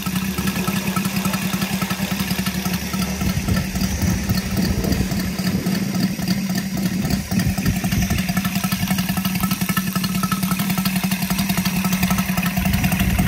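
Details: Brand-new Saito FG-73 five-cylinder radial, fully upgraded with Morris Mini Motors hardware and exhaust ring, on a Biela 20x10 four-blade prop (600–5500 rpm): even, steady beat with strong low drone, no knocks or misses; normal, healthy running.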